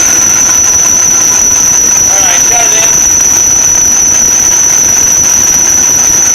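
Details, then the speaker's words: Supercharged LS1 Tonner at first startup on a cold ~7°C morning, untuned: piercing steady high-pitched accessory belt squeal over a rough loud idle; WD-40 at the belt instantly stopped it; owner suspects alignment or idler pulley bearing. "Definitely squealing on this belt here. You can see I put that WD-40 just in front of that belt and it instantly stopped the squeak. So I might take the belt back off and just check this idler pulley, make sure the bearing's all good."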